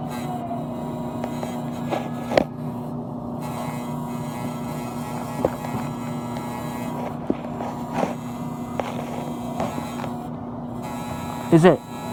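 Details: Cooling unit that is running and getting cold, with a steady low buzz and a few clicks. Pressing on it stops the buzz; owner suspects a loose front grille or cover or the fan motor and thinks the noise isn't normal.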